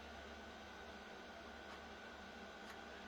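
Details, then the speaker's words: Diesel heater running with its original thermostat after a new replacement thermostat failed to work; quiet, even blower whoosh with a faint steady tone, no knocks; normal running. "it was the thermostat what was playing up this is the original one I got a new one no problems as you can hear"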